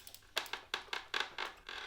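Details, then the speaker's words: Original 2016 Tacx Neo smart trainer, about 2 years old, ridden under pedal load after lubing the hinges failed. Dry, rhythmic creaks about every quarter second in step with pedal strokes; the creak is suspected to come from the visibly moving flywheel/disc. "That was an absolute failure. Complete waste of time there for that one. So back off the bike, trying to figure out exactly where that creak is coming from."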